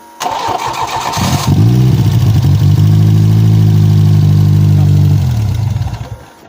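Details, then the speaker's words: Peugeot 405 Mi16 with 16V XU engine, first start after 5 years, cranks, catches quickly and settles into a smooth, even idle before shutting off cleanly, even with uncleaned injectors; runs fine. "-Im Allgemeinen ist alles in Ordnung. -Es läuft sogar mit ungereinigten Einspritzdüsen."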